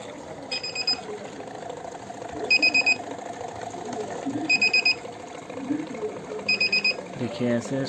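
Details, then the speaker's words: Kent RO Grand Plus water purifier, filters fine, beeps on every start because its one-year reset timing came due: high triple-chirp beep every two seconds over pump hum, continuing briefly until the reset button is pressed and it clears. "उसके बाद देखिए, ये sound अभी कुछ देर दे रहा है, उसके बाद ये ठीक हो जाएगा।"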